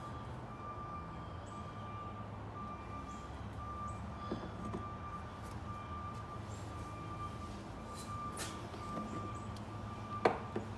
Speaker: i hear the garbage truck backing up that's that beeping